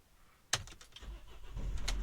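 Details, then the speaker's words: Older diesel van that had slow, hesitant starts, now with a bigger battery, after standing overnight: click then catches almost at once into a steady low rumble; no hesitation, healthy start. "do you hear that no hesitation both as you say in the past when you've got to turn it over it's been a bit like oh is it going to put there you heard that she rode into action"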